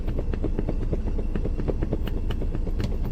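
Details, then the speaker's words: Maruti Alto 800 driven on rough off-road ground: quick irregular clicks and light rattles about three a second over low engine rumble; loose dashboard screws causing the rattle. "അത് വന്നിട്ട് ഡാഷ്ബോർഡിന്റെ screw ഉണ്ടല്ലോ അതും ലൂസ്ാണ് അതുകൊണ്ടാണ് ആ sound വരുന്നത്"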